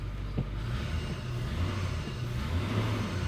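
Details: 2000 Ford F-150, 4.6 V8, P0301 cylinder misfire: given some gas, deep even rumble under load with no stumbles or skipped beats; no misfire after wiggling wires, likely a loose connection.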